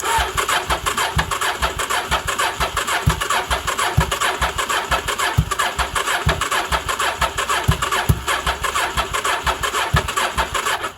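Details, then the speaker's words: 1983 Honda Shadow VT750C, fuel line to carburetors disconnected into a gas can to drain old fuel: starter churns at an uneven two-per-second beat with a few weak pops that never catch; no fuel pump sound heard, engine gets no fuel. "uh usually you would hear the fuel pump pumping but we don't so let's see what happens"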